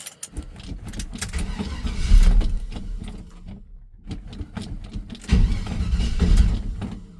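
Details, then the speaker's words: 1978 Chevy C10 "Billy James" cold start, not started in a while, right after fixing a poor battery connection: starter churns in uneven bursts with pauses, engine reluctant to catch; slow cold cranking. "Come on, Billy. A little bit cold. Haven't started them in a while."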